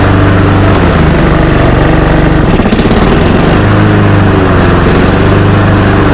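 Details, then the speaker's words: Honda GCV190 mower that stalled and wouldn't restart, run after cleaning the clogged air filter and box, filter removed: strong even note at steady speed, no hunting, misses or stalling; runs smoothly. "all right looks like the blade control works and looks like she runs pretty good"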